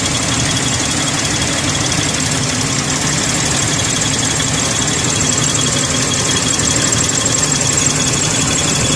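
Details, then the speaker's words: 2001 Ford Explorer 4.0L V6, restarted after reconnecting spark plug leads during exhaust manifold leak work, a little gas: rough uneven idle, irregular thumps and hissy top end; misfire from unseated spark plug lead, leads then reseated. "so I just reconnected the spark plug leads but started again Diego probably not seated directly give it just a little bit of gas great"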